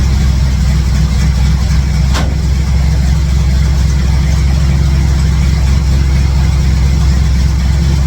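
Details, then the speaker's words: 1967 C10 truck V8 with ball-seat headers, after exhaust leak work and refitting plug wires; deep even rumble, steady beat, one brief click, all eight cylinders, no exhaust puffing or ticking heard: normal idle. "it doesn't sound too bad uh I don't know it's burning some stuff off just for my hands touching it and stuff but uh sounds like it's got all eight cylinders"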